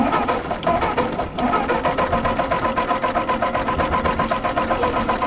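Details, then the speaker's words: Ford 8N tractor cranking on jumper pack after carburetor adjustments: steady starter turning about two turns a second with no firing; popped only after letting off the key; no spark, traced to a failed ballast resistor. "I don't know if we're losing spark when I'm cranking or what because then I let off of it is when we got the pop out of it and then it quit working again"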